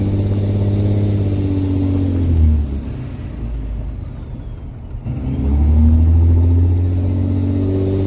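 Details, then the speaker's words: Diesel truck driving without an air intake fitted: shrill turbo whistle rises and falls with each rev over the diesel rumble. "I used to love turbo whistle until I started driving without an intake on hopefully we can get an intake today"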